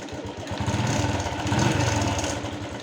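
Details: Honda Wave 110i after spark plug replacement for hard starting, stalling and stumbling, starting first try without throttle, swelling briefly, then settling into an even steady idle putter; healthy running.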